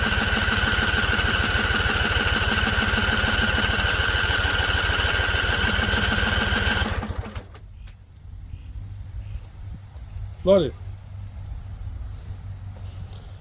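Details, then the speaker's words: Husqvarna Z254 mower in neutral after a PTO clutch and pulley install and weeks unused. The engine chugs roughly at about three beats a second for seven seconds, then dies; owner suspects it is flooded. "So, it seems like it's flooded cuz I heard a couple pops. Couple pops. So, I think it's going to start."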